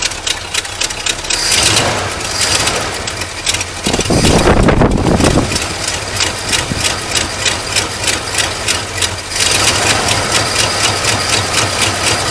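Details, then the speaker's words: Early-1980s (about 1984) Ford F-150 first start after sitting, choke propped closed, running on old stale gas: lumpy, uneven idle pulsing about four times a second with a loud surge midway, then a ragged beat; running rough. "so of course the gas is old and it smells like [ __ ] but it's volatile enough to make this engine run now"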